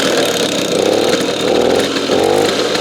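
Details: Simson SR2 two-stroke moped from the DDR, first start, loose connector, carb later found overflowing: crisp buzz swelling and easing with light throttle blips, clean and even; sounded nice and beefy.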